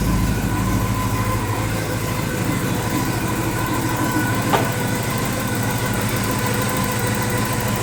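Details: 1984 Porsche 944 after wiring repair, previously surging and hunting from intermittent misfire on cylinder 2: even, steady low idle pulse with no misses or stumbles; normal smooth idle after fix.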